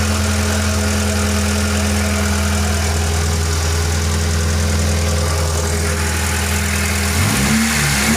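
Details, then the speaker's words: 1993–96 Lancer GLXi four-cylinder after replacing distributor cap and high-tension wires to fix hesitation and popping: steady even idle, clean blips, no popping or stumble; repair successful. "Ultimate test kung makawala yung putok-putok. Fully mawala na yung putok-putok."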